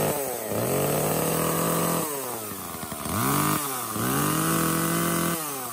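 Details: Echo CS-305 chainsaw after replacing a cracked purge pump primer bulb and a clogged air filter: fires and runs, revving up and dropping back to idle cleanly with crisp throttle response; running normally.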